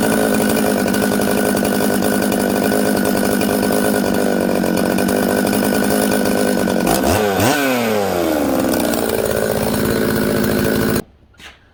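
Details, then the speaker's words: Husqvarna 266XP chainsaw with a 390 carb, day two, high jet 7/8 turn and low jet 3 turns: idles steadily but bogs and sags, lazy coming up to high rpm; fine when flipped upside down; carb tune drifted. "it's lazy coming up to high rpm and but it idles"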